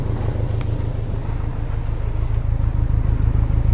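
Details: 2000 Honda S2000 track car with misfire codes for two years, listened to at the back: steady low exhaust pulse at idle with a faint occasional stumble, only intermittent; suspected misfire from tight valves.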